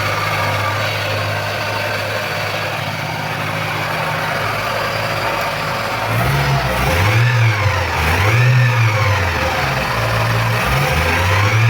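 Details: Engine after replacing the timing belt, tensioner and idler bearings and the V-belt, with timing marks aligned; smooth idle and clean throttle blips rising and falling evenly, no chirp, squeal or rattle; normal running.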